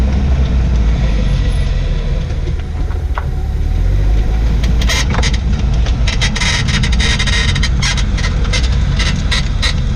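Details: 2004 Jaguar XJ6 X350 driving over bumps: uneven high creaks and squeaks from the rear suspension like a broken bed; rear air strut replaced two weeks earlier, drop links and tie rods three months earlier; owner suspects strut or bushing.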